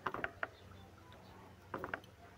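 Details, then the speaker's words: Suzuki Grand Vitara A/C compressor, noisy: the pulley is spun by hand without turning the pump, giving rough clicking catches in short bursts as if catching on a stone; confirms a broken pulley bearing. "Parang may sumasabit siya na bato. Yan. Ayun. Ngayon confirm sira yung bearing."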